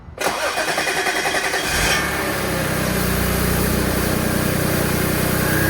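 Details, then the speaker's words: B8 Audi S4 next-morning cold start after upgraded IE high-pressure fuel pump: starter churns about seven pulses a second for nearly two seconds before catching into steady idle; long crank not fixed, owner suspects fuel system not priming (never hears pump prime). "All right, so yeah, the pump did not fix the elongated start issue, but I just feel like the car is not priming itself properly."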